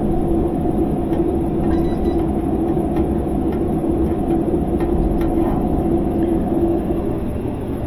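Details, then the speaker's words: GE washer in spin test mode, after two squirts of water and the lid locking: steady low grinding rumble throughout the spin, meaning the tub bearings are worn out; a gearbox is also failing, not worth fixing. "then the lid locks, and you hear that grinding sound. That grinding sound means that the bearings on this machine are shot. It's not going to be fixable."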